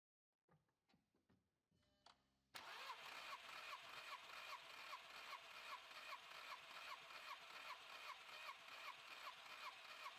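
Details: 2004 VW Polo 9N 1.2-litre 40 kW petrol with misfire, compression test on cylinder 1. After a few clicks it cranks with an even beat of about 2.5 pulses a second, reading 17 bar: healthy compression.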